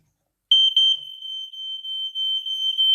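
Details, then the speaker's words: Linked alarms on test (EI146 smoke alarms landing and downstairs, EI144 heat alarm): piercing high tone steady for about 2.5 seconds with slight pulsing; all alarms sounding normally. "downstairs we got a another eo146 in the kitchen we got a ei144 heat alarm"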